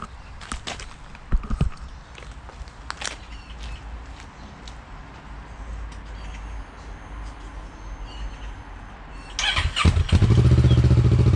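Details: Motorcycle after the exhaust was refitted with its original lambda sensor, recorded from a distance in an echoey garage: long quiet spell, then it starts and settles into a steady, even idle with no knocks or rattles. Normal idle.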